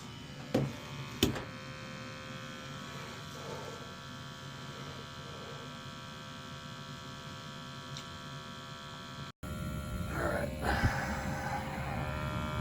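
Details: 35-year-old Dunkirk gas boiler with a replaced gas control valve (first new valve also defective) and new automatic vent damper, sooty and due for section scrubbing; after a couple of clicks the burner settles into a steady low rumble with faint hum, firing normally.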